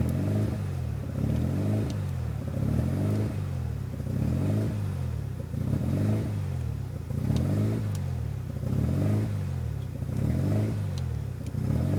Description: Bad Idle upon installing power FC on a RHD 93 RX7